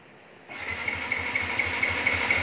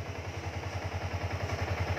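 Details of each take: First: Yamaha Exciter 2019 cranks but won't start: fuel pump heard, power present, but no high-voltage spark; starter cranks in even pulses about five per second with steady hum, never fires; check lean angle sensor. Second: Yamaha Exciter 2019 idling after lean angle sensor signal simulated at about 500 mV: steady even low putter, regular firing pulses, no knocks or misses; runs smoothly.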